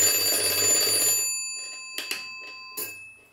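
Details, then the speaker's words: Vintage kitchen clock being cleaned and oiled; as the dial is turned the alarm rod drops and it rings, a bright rapid metallic ring for about a second fading out, then light clicks; alarm works properly. "so we're going to bring it around the alarms gonna go off it falls down"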